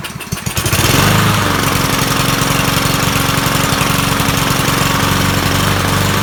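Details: Troy-Bilt 21-inch self-propelled mower salvaged from the dump, owner thinks it has a Kohler engine: the engine catches and settles into a loping, uneven chug with wavering speed. It runs rough, and the owner says the carburetor needs cleaning.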